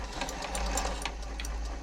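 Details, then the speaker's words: Janome MemoryCraft 3000 sewing machine during a service, on wide zigzag with the hook timing checked as correct: quick steady ticking with a light swish of the needle brushing the hook point. Bent needle suspected, tested by fitting a new needle. "I will put a new needle in. Just see if it still makes that noise. That'll tell us if that needle was bent."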